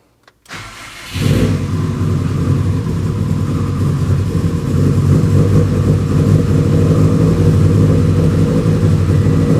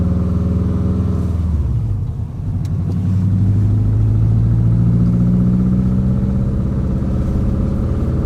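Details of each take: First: Subaru WRX with a fully built engine that jumped timing, suspected skipped tensioner; timing rechecked after repair. It cranks, catches, then idles loud and uneven with a lumpy, irregular beat. Rough running at start, cause unclear. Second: Subaru WRX with a fully built engine, driven warm after bleeding the cooling system. A deep, steady exhaust drone climbs evenly with throttle, with no stumbles. Healthy under load after fixing the cylinder 2/4 exhaust cam, which was two teeth out of time and caused power loss.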